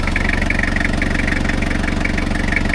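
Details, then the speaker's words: 1990 Toyota Hilux 2.4 diesel after engine, gearbox and axle oil changes, briefly stumbled then re-primed its fuel: steady, even diesel clatter at idle with no stumbles or misses; normal idle. "tourne bien."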